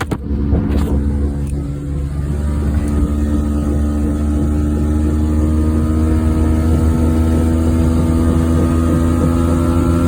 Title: Just A Drive 1994 Geo Metro for a short drive(bad wheel bearing)